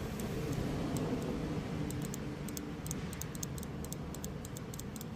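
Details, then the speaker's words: Known-good fuel injector on bench test, power and ground tapped to its two pins, crisp sharp ticks in irregular groups; coil clicking properly, healthy injector versus the bad one that made no click. "vamos a probar el inyector bueno aquí ya cambiamos el inyector y pusimos el inyector bueno vamos a ver Y en este inyector si se escucha"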